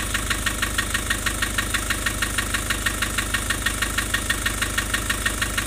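Diesel idles with a steady, sharp tick about three times a second over an uneven chug, fitting low compression in a cylinder.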